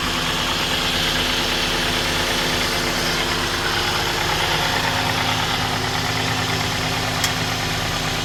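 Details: 2011 Ford Escape 2.5L idling after oil pan replacement and fresh oil fill: steady, even idle hum with constant beat, no knocking or ticking; normal idle.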